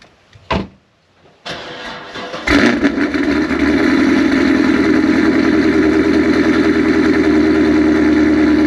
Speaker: so that noise seems to go away after a while that's a good thing i think this has been sitting so long it hasn't really been rant or it's warmed up